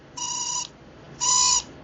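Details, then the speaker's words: Stacyc 12/16 eDrive kids' electric bike with known-good throttle and battery: the failing brushed motor gives two short bursts of piercing, steady high squeal, then smokes and dies; fix is a brushed motor kit. "so here we go we could hear the squeal this motor is bad"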